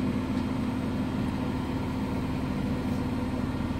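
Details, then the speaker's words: Biasi Riva HE boiler with a flashing red airflow-fault light, case off: steady fan drone over a rough, uneven low rumble as the fan strains through water backed up in the recuperator from a blocked condensate line. "so we could hear that noise that's why we could he that noise before that was a water inside here the fan trying to blow through the C recuperator because of the water build up"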